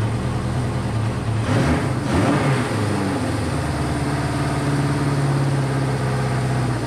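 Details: Honda CB500 four-cylinder idle that dips and wavers instead of holding a steady beat, though firing on all four. It is hard to idle and smokes a decent amount; the owner suspects low compression.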